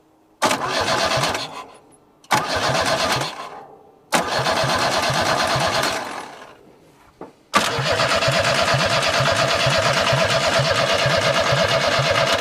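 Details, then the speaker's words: Junkyard Chevrolet S10 pickup, crank no start: three short cranking bursts then a long steady crank at about three beats a second that never catches; fuel sprays and it only tries to fire on key release; distributor faulty. "weird it is spraying fuel but when you let off of the key is when it tries to hit H"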